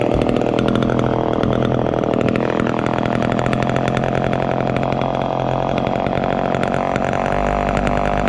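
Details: 1969 Homelite EZ Automatic chainsaw running after 20 years in storage: steady high-revving two-stroke buzz with an even, crisp exhaust note, no misses or rattles; runs cleanly.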